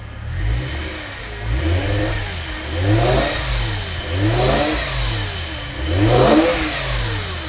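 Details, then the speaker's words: Revived E60 BMW M5, S85 V10, 6-speed manual, salvage car with a previously locked engine, just after first start: gentle blips settling back, steady even firing with no knocks or misses; runs smooth, no check engine light. "Okay, let me kill it for a second. Woo-hoo. It runs so smooth."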